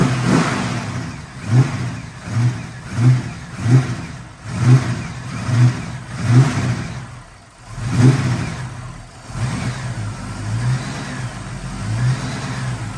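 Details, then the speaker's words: 1974 AMC Hornet after starter replacement, with a known relay-to-fuel-pump electrical issue: repeated clean throttle blips rise and fall smoothly, then steady idle with no stumbles; engine runs normally. "the car runs it runs beautifully it really really does there's no issues as you can hear it's still running"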